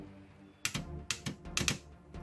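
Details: 12 V starter relay (bendix) on the bench, coil fed from battery voltage and drawing about 4.3 A: sharp, separate clicks, about five in two seconds, as the coil is energized; it snaps in cleanly, normal operation.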